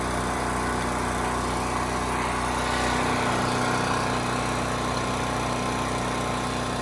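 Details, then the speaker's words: Champion 3000-running-watt 120V generator model 40026 after carburetor cleaning (rusted tank, old fuel), 87 hours; steady even single-cylinder drone with no misses or surging; normal running. "put a half load on it 1500 watts and it held right at 60 hertz which is perfect so we got a good engine good generator head good carb"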